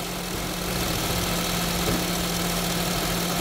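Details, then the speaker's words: Honda Jazz after tune-up, just started: steady, quiet idle with a soft even hum, no knocks or misses; engine smooth, like a newly installed engine. "Start na siya. Tahimik na naman ng makina, oh. Smooth na smooth."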